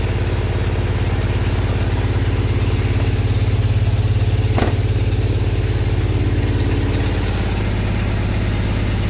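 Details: 1999 Mazda B2500 with a junkyard-rebuilt 1999 2.5L Ford Ranger engine and 10-inch glasspack, first start using ether after a coolant leak: loud, deep, even burble at idle with no knocks or misses.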